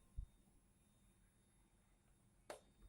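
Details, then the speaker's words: Polytron TV, completely dead, just plugged into mains and power pressed: after a click or two a faint, steady high-pitched whine comes from inside while the set never powers on. "ya Jadi ada suaranya jadi kondisinya lainnya tidak menyala dan mati total dan ada suara Ning seperti itu kita matikan"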